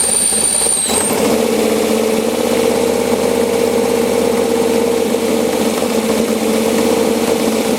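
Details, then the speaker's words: LS7 V8 in a Chevy S10 with a new idle air setup, cold start at about 50°F: fast cold idle around 500 rpm with a thin high whistle fading to a mid-pitch hiss as the idle air control opens fully; owner suspects tight throttle blades when cold. "so if I warm it up just for a little bit then it starts idling normal so I'm good our dove dead cold show you whistling noises the iock open all the way"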